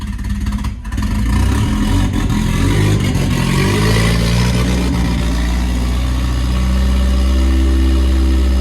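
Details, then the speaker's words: Nissan S14 with a loud, raspy exhaust that catches, stumbles briefly, then settles into a steady deep idle, after the fuel pump was checked for priming; the earlier idle problem is solved and the idle is normal. "So we solved our idling problem, guys. That's a win."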